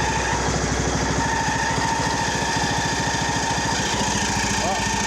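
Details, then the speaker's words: Poulan Pro 185A42LT riding mower during refurb, idling with mower belt off and some oil burning off: small single thumping with a thin steady squeak; suspected drive belt at first, then thought to be the muffler squeaking. "don't like that noise let's figure out what that is I think we got a belt hung up"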